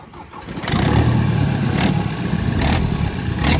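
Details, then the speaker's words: 2019 Ford Transit ex-fleet diesel truck, recently had a wet belt, manifold cover held on with Jubilee clips: catches and settles into a fast idle with sharp chuffing puffs about every second; bad exhaust manifold leak, needing turbo and DPF stripped to find it. "So it has got a bad blow on the exhaust there, and we're going to have to strip all of that turbine, that DPF, out the way to try and find that."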